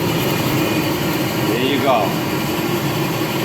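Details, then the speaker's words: Multi Chef oven blower motor after repair, tested on high: steady constant-pitch whir with no scraping, rubbing or catching; fan spins freely, normal running. "we're working we brought it back to life we'll put her on high all right so we know that it's working"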